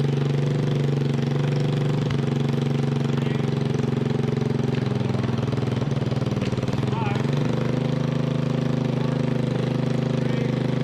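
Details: Freshly rebuilt 1988 Honda TRX200SX single-cylinder engine, out of frame, bored .020 over, new crank bearings and seals, JB-Welded stator cover; steady even low thump at constant speed, no knocks or misses: normal running.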